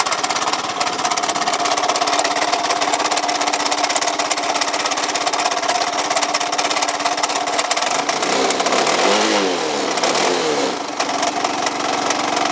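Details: Yamaha Cygnus 125X FI: harsh, uneven rattle and clatter from the engine; no drive reaches the rear wheel, belt break suspected, FI lamp flashing with key on; cause not confirmed.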